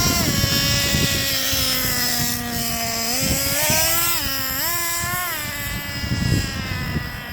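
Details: 2008 Traxxas Revo Platinum Edition 3.3 nitro RC truck, first start after sitting 2.5 years: high buzzy note wavers and blubbers as revs rise and fall, dark blue exhaust smoke; running super rich, wind noise present.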